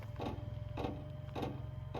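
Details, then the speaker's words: Ram Promaster van's gas/diesel air heater dosing pump, just after fuel line replacement, ticking sharp clicks about every 0.6 s over a low hum while knocking against the exhaust heat shield; pump to be moved so it stops rattling. "It's kind of pumping, rubbing against the exhaust uh uh heat shield. So, I'll probably move that a little bit so it's not rattling against it."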